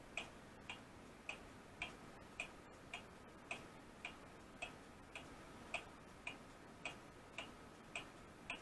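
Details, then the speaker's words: A rebuilt weight-driven Seth Thomas clock movement, hanging uncased with no gong yet after pivot and arbor repairs, gives a crisp, even tick-tock at about 54 beats a minute. It is running strong and healthy. "we've got it up running hanging here that's the weight you hear it ticking"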